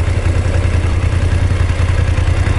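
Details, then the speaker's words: BMW F850GS twin at idle after Motorrad dealer check: steady low idle with light regular mechanical patter, no knocks; dealer says this tapping is normal, bring it back if it gets louder when stopped. "うやって止まった時にカタカタ音がもっと大きくなるようだったらすぐ持ってきてくださいって言ってたけどね、これはこの今のカタカタ音は正常だらしいです。"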